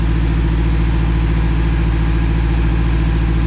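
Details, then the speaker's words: Newly installed engine idling and warming up after its first start, before topping off coolant and checking the fluids. Steady, even low rumble with no knocks, misses or hunting; the motor sounds good: normal idle. "all right well looks good motor sounds good bowel sounds good"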